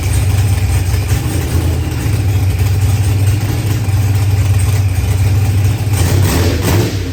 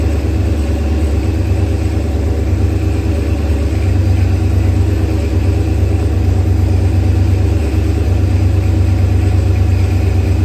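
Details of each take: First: Procharged LS V8 with 12-1 crank trigger, running after start troubles were fixed; loud, steady low rumble with brief blip near the end; even, healthy idle. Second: Procharged LS engine with 12-1 crank trigger wheel and 1X cam sensor, first start; loud, lumpy low idle with uneven beat near three per second; ignition timing at 35 degrees instead of 28, over-advanced, sensor settings to be changed.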